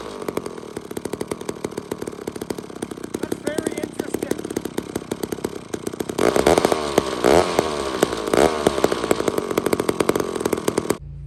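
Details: Old chainsaw with a removable head and a badly deteriorated carb, spark present, given a little fuel: sputters and surges unevenly, picks up briefly, then cuts out and dies. Owner suspects a bad fuel system, possibly an air leak; unconfirmed.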